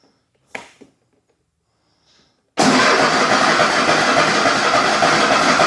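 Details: Cub Cadet LTX 1050 with a 22 hp Kohler Courage V-twin, after sump and oil pump repair for a squeak and an oil refill: it fires at once and runs steady and even with no squeak.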